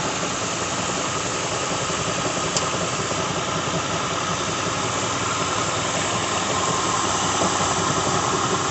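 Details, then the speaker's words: 2006 Lincoln Town Car V8, just started cold, idling: steady whir with light fast rattle, occasional knock; persisted after plugs, coils, pulleys, alternator, belt, oil and cam sensor were changed; failing harmonic balancer, nothing visible. "You can hear it now as I just started it, but it is a harmonic balancer. I'll start doing it after it warms up a little bit. You can hear it rattling right now."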